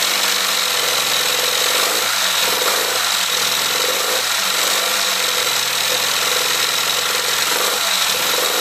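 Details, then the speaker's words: Classic Mini 1380 engine with Piper 649 scatter camshaft, first start after build with coolant in: idle stumbles with a dropped beat roughly every second; one cylinder misfiring from a spark plug gap closed up too tight. "all right sounds like it's got a bit of a misfire so i'm just going to take the plugs out i'll check then we'll be back in a minute okay one of the plugs was um closed up a little bit that's what it's missing"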